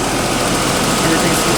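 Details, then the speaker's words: Jaguar XJ40 Daimler, car up in the air, started just after an oil change with Castrol GTX Ultra Clean 10W40 to circulate oil and check for leaks; oil pressure light off, gauge rising; smooth, steady idle, no knocks; normal. "seems to be running fine. We'll shut it down and then go underneath and have a look at leaks."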